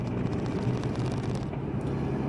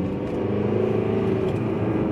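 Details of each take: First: VW 1.9 TDI under load at 2,800–3,000 rpm, 50 km/h in third or fourth gear, gives a low diesel drone with a lumpy pulse, running on three cylinders. Fault memory points to cylinder 1; a broken cable in the cylinder head is suspected. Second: VW 1.9 TDI that jerked in a certain rev range, after replacing the wiring harness in the cylinder head: smooth even pull through the midrange, about 54 km/h in third gear, no stutter or hesitation.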